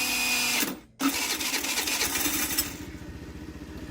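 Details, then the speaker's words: TaoTao 50cc Chinese scooter, bought not working, 3,693 miles: harsh, uneven whirring grind during electric start with a brief dropout; owner suspects the Bendix starter drive is slipping and needs replacing. "I do think the Bendix needs to be replaced because it sounds like it's slipping every so often in there"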